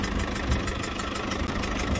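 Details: Citroën C4 Picasso 1.6 HDi 110 diesel, cold engine idling, sharp ticking about six per second from compression escaping past a leaking injector seal; can lead to stalling and starting faults; leaking injector seal.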